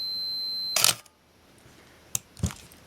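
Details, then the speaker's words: Minolta X-700 35mm film camera with 50mm f/1.7 lens, self-timer test: clean steady high beep under a second, then a sharp snap and clicks; normal audible beep. "And there's also an audible beep here, so we can hear that if you want the beeps, and there's some other situations under which the beep operates too."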